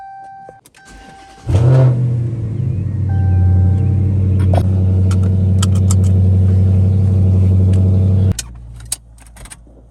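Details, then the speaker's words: 2016 Dodge Charger Pursuit V8 after start, steady deep idle with a metallic rattling buzz; owner suspects a heat shield or exhaust part, not sure. "Man, that fucking rattling sucks. Y'all hear that? So trying to figure out what that is. I'm pretty sure it might be a heat shield, either that or something to do with the exhaust, but I'm not too sure."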